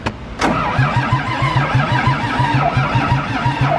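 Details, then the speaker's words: John Deere 4040 tractor at an old shop: the starter churns steadily at about four compression pulses a second but the engine never catches. It is a crank no-start, and starting fluid is tried next. "no she wants a little bit of Go Go Juice"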